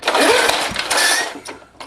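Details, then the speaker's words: Old (circa 1970s) Gilson mower with 3.5 hp Briggs & Stratton engine, borrowed muffler, leaking tank; pull start gives a second of ragged firing then sputters and dies; hard starting, owner suspects carburetor needs work. "That's how I got it to start the last time. I think the carb needs some work for sure."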